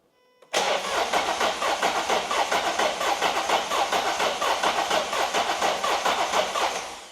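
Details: Built V8 Mustang on a new starter: starter spins the engine at an even three to four compression beats a second for seven seconds, never catching; cranks, no fire, ignition timing incorrect.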